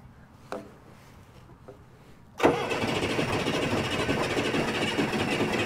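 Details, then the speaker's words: Old Case diesel tractor (called an 1896 Case), cold engine, starting fluid sprayed into the intake: a few weak puffs, then it catches into a loose, uneven clatter as the cold diesel struggles to start and settle. "there you go foreign she's cold gotta warm up put some liquid in the bottle warmer right here boy she's gonna warm up whatever she wants to or not"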